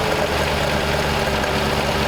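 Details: Rare 1939 Ford convertible sedan flathead V8 from a barn, right after fixing a distributor problem: steady, even low burble at idle off the choke with no misses or knocks; normal idle.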